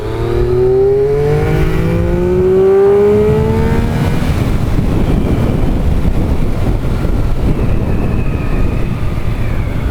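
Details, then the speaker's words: Triumph Daytona 955i, fuel-injected, with new aftermarket slip-on exhaust (may need ECU tuning), 100% throttle in third (possibly second) gear: clean rising note pulling smoothly through the rev range, no stutter or popping; normal full-throttle acceleration. "so that was 100% throttle in third gear might have been second gear I think it was third gear but yeah 100% throttle and it didn't spitter whatsoever went all the way through the range without any issue"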